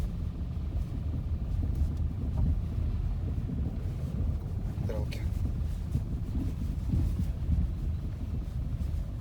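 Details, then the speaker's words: Lada Vesta Cross driving over bumps, recorder placed to listen, after the right shock absorber was replaced under warranty (left already replaced): only road rumble, knocks gone; normal suspension. "слева мы поменяли слева стуки вот эти дурацкие пропали справа поменяли стойка амортизатора и здесь же звуки пропали"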